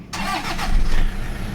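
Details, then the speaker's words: Toyota Vigo diesel pickup after starter motor repair (previously cranked sluggishly like a weak battery, code P0405 EGR): brief quick crank, catches almost instantly and settles into steady idle; starter now spins freely and starts easily. "แป๊บเดียวติดเลยจะสตาร์ทง่ายนะสตาร์ทง่ายแล้วเสียงมันจะฟิ้วไปเลยนะครับไดสตาร์ทนะ"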